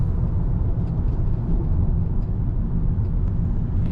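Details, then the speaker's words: 2013 Toyota Camry driving after repair: steady low road rumble with no steering column rattle; cause was a disintegrated bushing/damper in the column, not the intermediate shaft it mimics. "so let's see if it makes the rattle when we drive so far so good"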